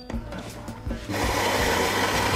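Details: Philips 2200 Series LatteGo automatic coffee machine brewing a very strong, medium-size coffee: a few quiet clicks, then a steady even gritty whirr from about one second as the grinder runs smoothly through the beans.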